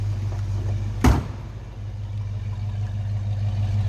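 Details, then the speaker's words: 1966 Ford Mustang convertible with its original C-code 289 V8 and automatic transmission, recorded at the rear: deep, steady idle burble from the exhaust with one brief thump; healthy, normal idle. "Slip around to the back so you can just run. Nice sounding car."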